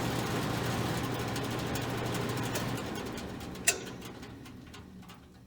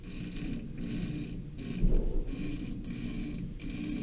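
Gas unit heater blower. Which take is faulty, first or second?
second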